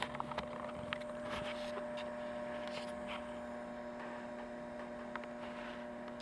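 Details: Macdonald CE 100 scanner: steady low hum with a higher buzzing tone under faint crackle through the audio, worsening when a certain capacitor is poked; mains hum, cause not confirmed.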